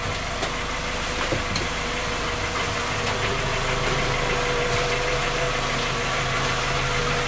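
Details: Skoda Octavia A5 facelift 1.6 MPI, cold idle: uneven light knocking tick over the engine hum, not clearly tied to any part. Engine has had three repairs, fault never found, still knocks; knock of unknown origin.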